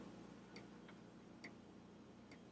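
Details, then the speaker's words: Mr. Christmas Gold Label Worlds Fair Ferris Wheel (9 V DC) during repair: three sharp light clicks about every 0.9 seconds as a drive gear still sticks at one spot; broken gear or spacer suspected. "it still sticks right there"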